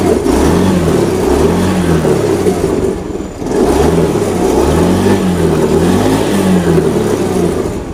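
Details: Honda Beat FI after fuel pressure restored to normal 40 PSI; engine picks up cleanly on each throttle blip, revs rising and falling smoothly without sputter or misfire; normal revving.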